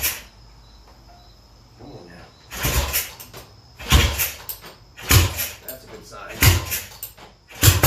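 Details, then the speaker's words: Classic Triumph TR6 motorcycle with a hard-start problem, running only on starting fluid: it catches in short ragged bursts, dies with any throttle and pops if kept running; ignition timing is suspected, with a bad stator also possible. "i'm trying to give it any gas at all it shuts out and if i keep it running for a long period of time it'll start popping"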